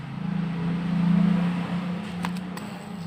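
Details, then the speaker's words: LG jumbo-freezer refrigerator not cooling with electrified body, compressor tested with new overload and clamp ammeter; loud steady low hum for seconds without running rhythm, fails to start; overload burnt and amperage high, compressor suspected seized (ngesot), not confirmed. "tuh pada bagian overload gosong ya teman-teman dan ampere nya cukup tinggi pada bagian overload gosong Ini kemungkinan kompresornya ini ngesot ya teman-teman"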